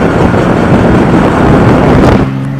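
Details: 1993 Ford Probe GT while driving: low droning hum under heavy road roar, the sound of a bad wheel bearing.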